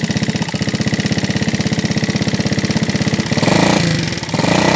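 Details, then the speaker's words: Yamaha Vega ZR motorcycle, engine also smoking: loud rapid sewing-machine clatter, about a dozen hard ticks a second, staying harsh as revs rise; serious top-end mechanical noise, engine to be torn down. "Vega ZR, suaranya hancur kayak suara mesin jahit dan berasap."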